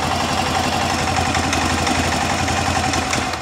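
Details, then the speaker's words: Arctic Cat 400 ATV after replacing the flywheel rotor with the updated part for a no-spark fault; fires right off and settles into a smooth even idle with no knocks, misses or rattles. Normal idle. "motor sounds good everything sounds really good on it so there we go that one is fixed"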